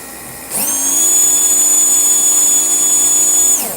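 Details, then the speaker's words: Slot car motor on test after swapping back to its original end bell: a sharp, high, steady whine spins up instantly, holds an even pitch about three seconds, winds down; noticeably faster, smooth and healthy. "I could just hear how much faster the car is running. So it just goes to show you how critical it is with tweaking and messing with the end bell until you get the number you want."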